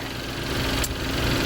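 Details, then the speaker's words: 2012 Chevy Equinox/Terrain four-cylinder after engine install: steady even idle with no stumble or misfire, after fixing swapped intake and exhaust camshaft actuator connectors that caused earlier running problems; normal idle. "you should step on a troubleshooting always assume you're the problem which i was running great now"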